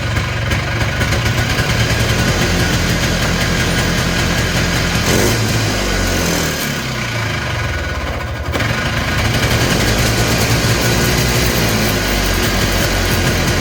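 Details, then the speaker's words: Polaris Trail Boss 250 two-stroke, just revived: loud buzzing that sags and surges unevenly and won't settle to idle. The owner suspects the carburetor idle circuit is still plugged; the cause is not confirmed. "oh oh a just as I thought that idle circuit's not working probably because it's still plugged up"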